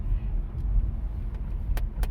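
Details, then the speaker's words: 2014 or 2013 Chevy Impala LT driving through turns after repair of a broken ABS wheel speed sensor wiring harness, driver's front; only smooth road rumble, no grinding, traction control light stays off. "when we pulled out it was perfect nothing happened so we're just driving it around to see if it if it's all good but the way it sound so far it seems okay"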